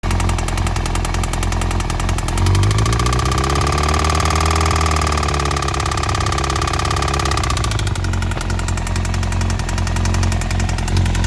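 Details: 2002 Yamaha YZF-R1 after a year in storage, running with a busy metallic top-end rattle and knock; EXUP, exhaust manifold bolts checked, cam chain tensioner replaced without fixing it, cause unknown.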